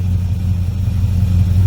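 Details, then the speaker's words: 1963 Chevrolet Impala after adding gas and blowing through the fuel line: deep, lumpy uneven rumble, running on about five cylinders; owner suspects bad gas, plugs, or a weak or clogged fuel pump; rough running, misfire. "All right, I believe that last couple of gallons blowing through the tank might have helped. They were running on about 5 cylinders."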